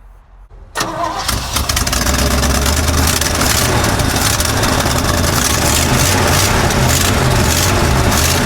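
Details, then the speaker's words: 1955 Chevy dump-bed truck, sat 23 years, running off a funnel fuel setup while old fuel is pumped out: catches after a short crank, steady even idle, no knocks or misses, pressure looks great; normal idle. "Man, that thing sounds awesome. Sitting here running."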